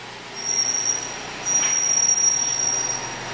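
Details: Cadillac at crawling speed in a parking garage: thin steady high-pitched brake squeal comes and goes while braking; steering also sloppy and car wanders; cause unknown, awaiting dealership inspection.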